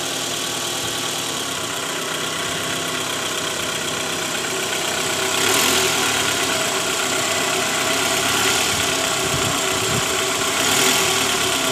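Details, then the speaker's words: A faint, fast metallic jingle, about four a second, from the oil pan area of a 2012 Toyota Alphard ANH20 (2AZ engine, 101,000 km) in D at idle. The engine is rough mainly at first start. A worn, loose balancer shaft, confirmed on removal. "Terdengar suara gemerincing samar di area bak oli."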